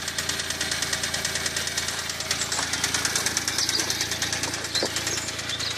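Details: Smart Roadster engine at idle: steady sharp knocking, a couple of taps per second; owner was told it might be big end bearings needing a crank regrind or new crank; cause unconfirmed.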